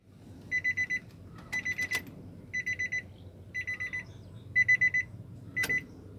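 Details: Nissan Serena C24 SR20 won't start: repeating bursts of four sharp high beeps about once a second over a faint hum, no cranking heard; no-start with warning beeps.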